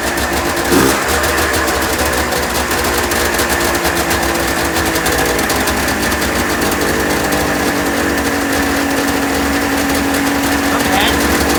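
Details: 1996 Ski-Doo Formula 3 600 triple two-stroke snowmobile, days later with a carb refitted after a stuck-float fuel leak, cold start without choke; busy high-pitched buzz, steady and even with no misses or knocks.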